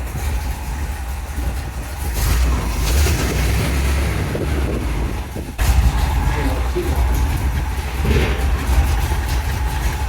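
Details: 1975 Chevrolet C10 engine running during an inspection, fluid a little low. An even, low idle rumble with no knocks or misses under shop chatter; the engine sounds good: a normal idle.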